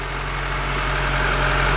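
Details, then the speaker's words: Honda Civic with idle surging and P0505 IACV trouble, engine warm, after a switch was removed and the lights turned off: low, steady hum with no rise and fall, smooth and even. Normal idle. "is off and here the different it's all nice and smooth and bap - they see how it's all nice and smooth now"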